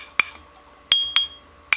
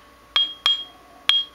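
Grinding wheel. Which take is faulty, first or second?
first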